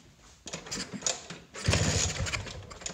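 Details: Piaggio P200E scooter, 50:1 premix, fresh fuel lines and filter, choke pulled, previously ran seconds then died (owner suspects fuel/lean): short uneven cranking bursts with weak catches, never picks up; no start.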